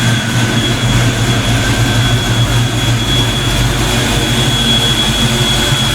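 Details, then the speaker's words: Black Stang (Mustang) first fire with 24 lb injectors and 73 mm mass air meter, rockers shimmed; steady, even drone with faint high whine, no knocks or misses, while warming up: normal warm-up idle. "so that sounds damn good i'm getting excited i think i did something right"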